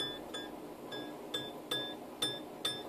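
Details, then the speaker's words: Scroll saw blade plucked like a guitar string after tightening, while setting up a wobbly bowl cut; seven clear high ringing pings that die away quickly, the sound wanted for correct blade tension. "I don't know if you guys can hear that, but I'm plucking it. It's kind of like a guitar string. And if you can hear that, that's about the noise I want to hear."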